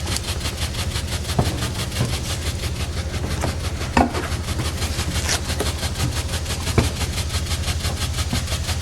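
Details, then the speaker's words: 1913 Jardine & Co pipe organ tremulant after temporary repair, adjusted from a bit bangy to more gentle; quick steady pulsing about five beats a second over soft wind hiss, tremulant beating gently and evenly, normal. "It's a bit bangy. There we go. It's a bit more gentle."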